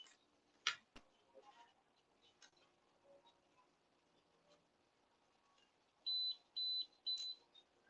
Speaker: hi that's not good when something just says hi um oh that's high that's not working